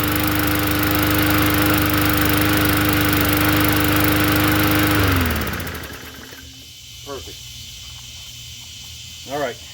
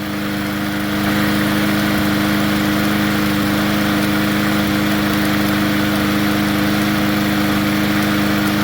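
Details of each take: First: Poulan push mower engine swapped onto another 20-inch deck, first-pull start: clean even drone for about five seconds, then winds down and shuts off; runs healthy. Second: Poulan push mower engine swapped onto another 20-inch deck: steady drone with light rapid chatter at constant speed; owner says the governor spring has lost tension, causing hunting.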